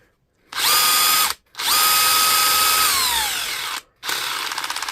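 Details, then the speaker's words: DeWalt DCH273 SDS rotary hammer drill tested in chisel mode: the motor spins up to a steady high whine, then winds down and restarts with a fast rattling impact; normal hammer action. "So if it's hammering in chisel mode, it'll be hammering in drill mode. But we'll try in drill mode as well. So that's chisel mode."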